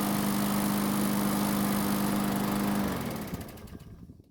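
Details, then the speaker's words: Murray lawn mower, small engine, after no-start repair following winter storage, running about 5 minutes, near normal operating temperature: smooth steady-pitch drone, then clean wind-down to stop; engine healthy. "so it's been running for about 5 minutes and it should be close to normal operating temperatures"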